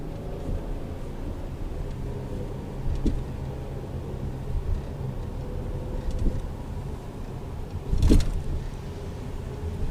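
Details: 2011 Mazda Tribute driving: sharp, irregular clunks from the rear over a low driving rumble.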